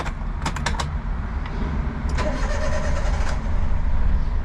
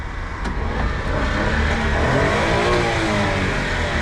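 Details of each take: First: Used Daihatsu HiJet kei van for sale: the starter churns unevenly for a couple of seconds before the engine catches and settles into a rough idle; long cranking before start. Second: Honda Street kei van: pitch climbs cleanly through a couple of quick revs and drops back smoothly with no knocks or rattles; normal revving.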